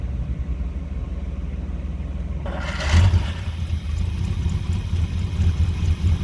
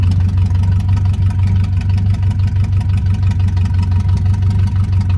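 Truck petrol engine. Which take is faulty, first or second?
second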